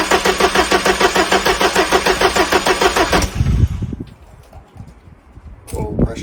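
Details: Mk3 Ford Escort RS1600i, off the road for a few years, oil topped up, king lead removed from the distributor: even starter cranking about three beats per second for three seconds, then stops; engine turns freely, no firing.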